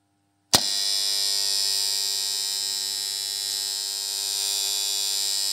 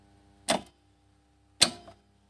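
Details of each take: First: Farm 3-phase motor starter: a sharp clack as it pulls in, then a loud, harsh, steady electrical buzz until it drops out, caused by dirty, misaligned contacts. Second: 3-phase farm motor starter after tightening: two crisp clacks as it switches off and on, with the former loud buzzing completely gone.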